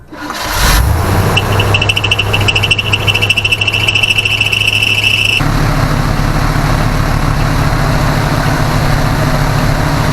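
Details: 1980 Chevrolet C10 small-block after a new carb, glass fuel filter and fuel pump, with a leaking main fuel line tightened: the engine catches and settles into a steady, even low rumble with no misses or knocks, a clean healthy idle.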